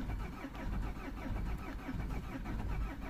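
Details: 2003 Peugeot 307 2.0 HDi diesel, a non-runner with its transponder lost: after a new transponder is programmed, the starter grinds in a steady rhythm for several seconds before the engine finally fires. Extended cranking before start.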